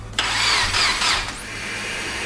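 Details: Subaru WRX, first start after full rebuild of knocking engine: starter whirs about a second then stops, no firing; cranks but won't start.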